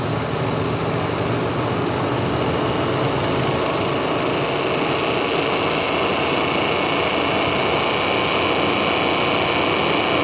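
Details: VW MK8 GTI recorded through the front grille: steady engine run with a dense, raspy buzz from the radiator fan area starting mid-clip; owner suspects tree leaves in the fans, not solved.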